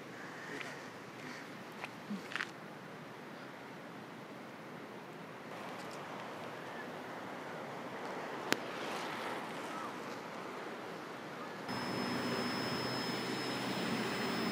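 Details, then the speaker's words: Camera on a windy beach shoot after 21 shots emits a constant thin, piercing high-pitched tone like long beeping, continuing even when switched off; camera electronics faulting. "all right so bad news um i just went to take a shot and the camera is making this really high-pitched unpleasant noise i don't know if you can hear it yeah it's really bad and even it's turned off and it's still making that noise"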